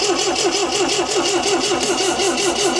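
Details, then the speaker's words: 1974 MGB GT sat for 29 years, petrol poured down the carb and battery failing: even starter cranking at about three beats a second, never firing. The float bowls seem not to be filling, so fuel may not be reaching the carburettors; the fuel hose was in poor condition. "yeah it's like it's not it's like the float bowls aren't filling you know"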